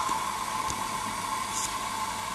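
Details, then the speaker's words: Jensen 35 model toy steam engine's little gas burner heating the boiler before any steam; steady soft rushing roar with faint constant tone, unchanging; normal heating. "uh it's gas fired and see there you just see the flame it will run off and inflated Spirits burning as well but uh these little gas burners from BS are just so"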